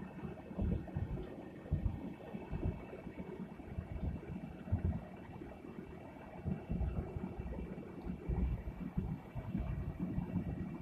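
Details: 2008.5 Jeep Grand Cherokee WK while driving, phone recording: low steady droning rumble with faint pulsing, speed-related, began after front differential bushing job; owner suspects differential or CV, diff oil showed nothing.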